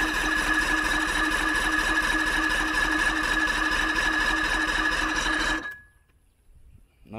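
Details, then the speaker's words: Johnson 90hp outboard on a 1987 Crestliner, sat about a year; steady even cranking about three turns a second with no firing; fuel was syrupy and likely holds a lot of water, new fuel hose leaking, owner unsure fuel reaches the carbs. "not sounding very interested probably turn the fast idle on maybe not so much let's crack it"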